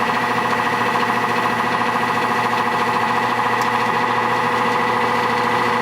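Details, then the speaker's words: Nordyne AC condenser unit, fan sprayed with water: loud ringing drone with fixed tones over fan roar, unit vibrating more, motor already replaced and compressor ruled out; the wet 2-blade fan resonated, cured by replacing with a 3-blade fan. "Now, if I take some water and simply spray it on the fan, immediately the unit gets very noisy. The noise is a lot louder than what you would expect from an air conditioning system."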